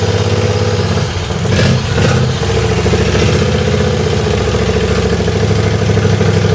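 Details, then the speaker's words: Race tractor engine on second run, throttled up a little, exhaust with a couple of baffles added: loud, lumpy, cammy idle with a faint scuffing rub beneath; a belt pulley is rubbing and needs adjusting. "Got a little pulley rub there. I didn't hear that the first time. Got some pulley rubbage."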